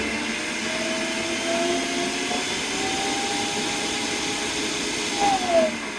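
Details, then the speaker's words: Multi-purpose blender (unit no. 2) with "not running" complaint, plugged in directly with safety switch closed; steady, even motor whir, constant pitch, no rattles or labouring; runs normally, fault suspected in jar assembly fitting. "À thế là con này chạy bình thường mà"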